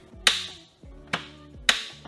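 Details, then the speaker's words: 2013 Audi TT convertible with bad engine, key turned to start in neutral with foot on brake: sharp starter relay clicks but the starter does not crank; owner unsure if power or park issue. "Yeah, it just clicks. So, I I hear the relay clicking for the starter, but then the starter isn't trying to start."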